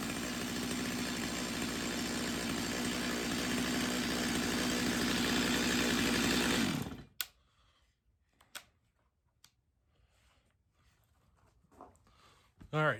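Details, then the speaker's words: Stihl MS250 chainsaw on first start before repair, in for not restarting when warm, with fines under the hood and a dirty air filter; held wide open it screams at a flat pitch with no four-stroke burble, then dies. Lean running at full throttle. "so the saw is running lean could you tell uh you should be able to hear a pop in the Co in the uh in the engine and whenever I took it to Full Throttle we didn't hear a four stroke so she's definitely lean"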